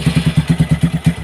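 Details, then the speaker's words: Single-cylinder motorcycle, third repair visit after an earlier seized piston, run with the valve cover removed: harsh, dry clattering thuds about eight per second; oil is not reaching the cylinder head, leaving the top end unlubricated. "Jadi, jika oli tidak sampai ke kepala silinder, suaranya akan sangat kasar."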